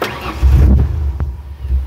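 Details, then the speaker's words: 1997 Ford Explorer 4.0L with a MAF sensor fault and rich codes P0172 and P0175: catches briefly with a lumpy low rumble, barely revs even at wide open throttle, sags toward stalling, clouds of black smoke; running very rich from a bad MAF. "so it really won't even stay running I'll try to rev it that's wide open throttle right there there's clouds of black smoke"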